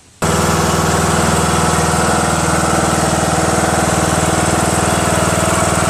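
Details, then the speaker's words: Craftsman LT2000 19.5HP lawn tractor engine after valve lash adjustment, which fixed the loud running and front clicking; starts instantly and idles quieter, smooth and even with no top-end clatter and no valve cover leaks. "Quieter now. Cool. Idles well. Nice, smooth. No leaks."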